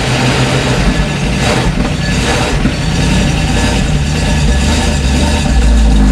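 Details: 1972 Dodge 318 V8 running after almost 20 years, following carb rebuild, vacuum hose refresh and new ignition wires: uneven, lumpy, irregular rumble with revs rising toward the end; running rough and out of tune.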